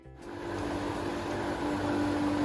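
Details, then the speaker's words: Single-speed pool pump attached to a heater, small-pool size, starting up; spins up in half a second to a steady, loud hum with constant motor tone and water rush while priming; normal. "so this is the single speed running so I've got to raise my voice a little bit because it is so much louder but it's just priming itself now"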